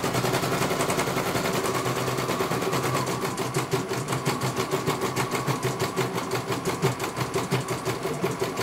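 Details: CNY computer embroidery machine sent in for service from Banjarnegara, Central Java, that arrived with its motor (dinamo) not turning at all and the bobbin case missing; now steady, even ticking about three stitches a second over a light hum, one colour finished cleanly. Normal stitching.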